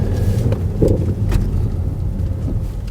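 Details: Used BMW X5 driving forward: low road rumble and wind buffeting with no whine; a siren-like bearing-type whine is reported only in reverse, possibly gearbox.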